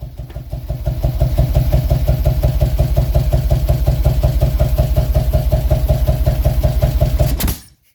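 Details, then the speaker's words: 2000 Harley-Davidson Road King V-twin, throttle body exposed: lumpy loping beat about three per second that coughs, backfires through the throttle body and dies; owner suspected ignition timing/ICM. "Yeah, so we just had a big backfire here through the throttle body. Kind of coughed on us a little bit."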